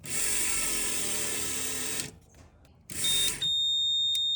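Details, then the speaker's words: 1989 VW Fox abandoned for years, fuel pump bench-fed with test probe leads: high whine and pump hum with a sharp beep cutting in and out, pump runs awful, may be pumping fluid; beeping cause unknown. "I don't know what the flashing and the all that beeping and craziness. I don't know what that means."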